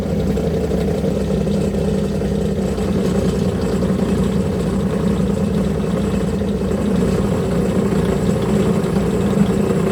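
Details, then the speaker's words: Homemade milling machine second test cut, spindle at 1900 rpm, after reducing table play though play remains in the setup; constant rough buzzing cut with uneven rattle; milling chatter from slide play. "it surely cuts much better but there's still too much play in the entire setup you can hear it shatter a lot but all the problems can be fixed"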